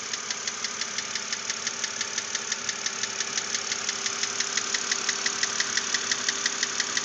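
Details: 2006 BMW Z4 3.0si at about 19,066 miles, idling with a sharp, even tick about three times a second. Replacing the lifters did not cure the knock, and the owner hopes a cylinder head replacement will.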